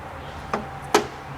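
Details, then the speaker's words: AC compressor removed from a 2002 Mitsubishi Lancer, clutch powered on the bench: two sharp metallic clicks as the magnet pulls the clutch in. The coil works, but the clutch isn't grabbing; the compressor is being replaced. "look very carefully right there that just validates it it still pulls in the magnet works you see it moving in but it's not grabbing"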